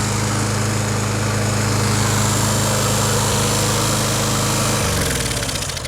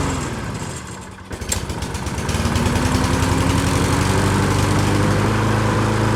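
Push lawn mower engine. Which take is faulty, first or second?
first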